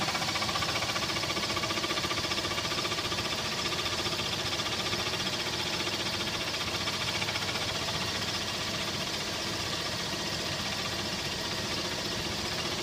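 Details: Toyota Tacoma engine at idle: faint, steady tapping about four knocks a second over the engine hiss; engine knock, cause not identified.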